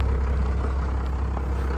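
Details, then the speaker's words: Abandoned first-gen Dodge D350 Cummins diesel pickup revived after sitting, idling in neutral with oil pressure coming up: steady, deep, even rumble; sounds healthy. "but sounds sounds good sounds really good actually"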